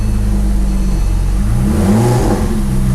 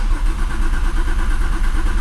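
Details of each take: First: Porsche 911 Turbo 997.2 9A1 rebuilt engine, first start after several cranking attempts with a little gas: catches and flares up in revs, then settles to a steady, even idle with no knocks or misses; normal start. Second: Porsche 911 Turbo 997.2 9A1 engine after rebuild, first start attempt: long even cranking with no catch because the fuel system is not yet primed; the cranking sounds healthy.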